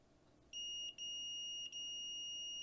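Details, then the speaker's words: Multimeter continuity test on soldered center conductor of BNC connector on EFHW dipole antenna build; steady high beep with two brief dropouts as probes settle, good solder joint. "hopefully you can hear that beeping letting me know that that solder is good"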